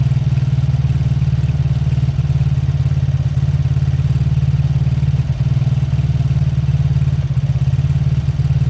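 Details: Beaten-up old Lexmoto motorcycle, many parts missing, idling just after first start once fuel filled the carb; steady, even single-cylinder low thump with no knocks, misses or rattles, warming up for about 5 minutes to circulate oil. Normal idle.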